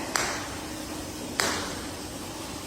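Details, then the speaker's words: Golf ball tap test on tile during final inspection of a new-build home; three sharp, bright ticks with a firm, solid ring and no hollow rattle; how the tile should sound, solidly bonded. "That's what the tile should sound like."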